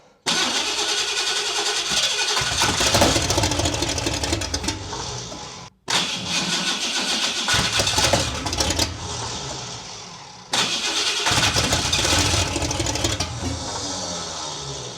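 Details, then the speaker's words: Big-block pickup at first start after long build: cranks and catches, runs roughly a few seconds, dies as soon as the key leaves start, repeating each restart; power off the start position suspected. "as soon as I pull back from the uh start it kills it so the power somewhere off the start is not giving it a go oh she sounds nasty"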